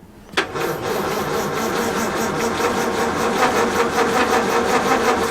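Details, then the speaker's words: 1932 Morris Minor four-cylinder sidevalve, unused for decades, 6V battery: slow steady cranking around eighty turns a minute with no firing; it ran earlier, owner suspects the ignition points have closed up and also considers the distributor cap centre bush. "I don't know seems odd that it did run but now it won't and if the points have closed it"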